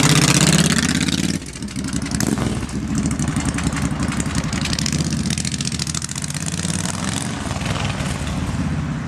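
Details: Suzuki Boulevard, fuel-injected, after repairing a loose crank position sensor connection behind intermittent no-starts and code C12: starter spins, engine fires promptly and settles into a steady loping idle; starts and runs normally.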